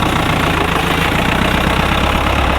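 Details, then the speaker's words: Feeder tractor being looked at to buy, diesel running warm: steady, even chug with no stumbles or knocks, running a lot nicer now. Normal running. "spinning yeah yeah yeah it's running a lot nicer now"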